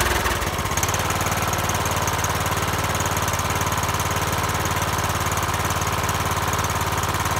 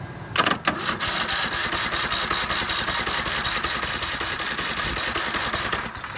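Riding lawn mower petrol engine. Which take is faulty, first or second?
second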